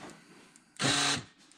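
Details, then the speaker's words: 2011 Ford Expedition door lock actuator with stripped internal gears, before its second replacement with a Ford part: short buzzing whirs with gear chatter and no lock thunk when locking or unlocking. "it's like basically the gears inside of it are stripped out so anytime we try to lock the doors or unlock the doors just goes"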